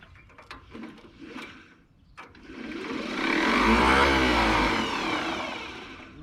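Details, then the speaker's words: Narrow-front Allis Chalmers WD left in the bush, previously seized, cranked on a booster pack with fuel on and choke on; a few clicks, then a sluggish whirring crank that fades without catching. Owner suspects a weak booster pack. "That's something. Doesn't sound like the starter wants to work though. Might be not enough power in this booster pack."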